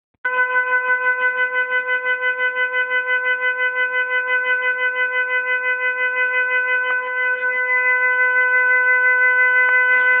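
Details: Hot water tap running: loud, steady, horn-like honking tone with a fast flutter of about three pulses a second. Cause not found.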